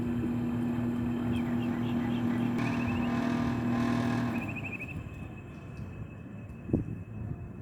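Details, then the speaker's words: Mini split outdoor unit that blows only room-temperature air: the compressor hums for about four seconds trying to start, then cuts out while the fan keeps running. This indicates a damaged capacitor. "Suena como un zumbido que quiera arrancar, después de un momento se apaga. Eso significa que el capacitor está dañado."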